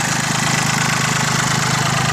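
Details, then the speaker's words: Mitsubishi MT205 compact tractor, 3-cylinder diesel, about 800 hours, new battery: steady, even diesel idle clatter with no misses, knocks or hunting; no exhaust smoke, nice engine; normal diesel idle. "Here it sounds really good. There's the exhaust. No smoke blowing out the exhaust. Nice engine."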